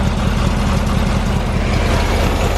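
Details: VW Bus idling steadily after first start: loud, raspy, open exhaust note because the old muffler is empty and blown out inside; fuel pump still leaking; blown muffler.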